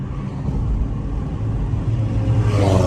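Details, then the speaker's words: Rear wheel bearing hum on a salvage-auction car being rebuilt: low, steady hum under road rumble while driving, from worn rear wheel bearings due for replacement; otherwise drives straight, frame not bent, transmission shifts nice. "this vehicle is going to need rear wheel bearings the way that you can hear rear wheel bearings it'll make like a humming noise like a noise whenever you're driving it"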